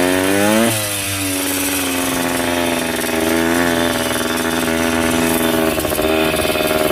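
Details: Yamaha 125 enduro two-stroke after fresh spark plug and fresh gas (earlier suspected oil fouling): crisp ringing buzz climbing and settling cleanly with each throttle blip, no misses or bogging; normal healthy running.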